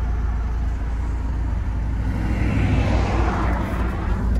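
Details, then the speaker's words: Audi A4 2.0T TFSI direct-injected engine, stage two with factory K03 turbo, running on 5 quarts of used Mobil 1 synthetic oil added to the fuel (about 16:1). First neutral rev to check for cutting out: smooth, steady rev with no stumble. Normal. "smooth scooting nicely sounds good okay let's check out that exhaust first time for the neutral rev"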